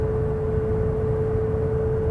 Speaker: about 63-4 miles an hour, the motor noise turns into this sort of deafening resonance. It's not loud particularly, but it's not very comfortable.